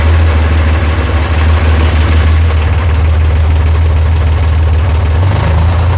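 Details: Rebuilt FC engine, idling low after the loose fuel pump wire was reconnected: deep, steady, even drone with no knocks or misses; normal idle.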